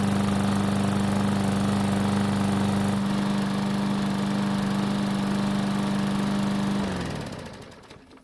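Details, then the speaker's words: Craftsman lawn mower small single-cylinder engine, first start after a carburetor service for a no-start: holds a steady, even drone for about seven seconds, then winds down smoothly at shutoff; runs well. "so as you just saw it started up and ran pretty well but the bigger question is how is it going to start back up after running for a couple of minutes"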